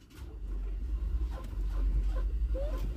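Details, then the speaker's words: Car that randomly wouldn't crank with good battery power, after tapping the sticky starter motor: quiet low rumble rises and settles into a steady idle as the engine cranks and catches cleanly; starter tap trick worked. "there we go what do you know she fires right up so won't work every time but a lot of times your starter just gets sticky"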